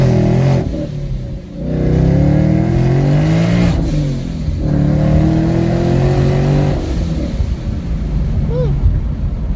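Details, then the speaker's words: 2016 Mustang GT with ProCharger P1X stage 1 supercharger, driving in track mode: pulls up through revs with a clear open exhaust note, brief early bog from traction control, less muffled than before; healthy acceleration. "put that sucker in track mode it's definitely definitely better"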